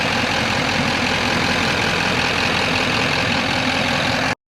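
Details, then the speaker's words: 2015 Chevy Silverado 2500HD LML Duramax, 170,000 miles, after CP4 pump, fuel filter, sending unit replacement and fuel tank and line cleaning: steady, even diesel clatter at idle with no misses or knocks; normal idle. "guys for not filming but uh I got it done so you see it sounds good we're gonna go drive it right now"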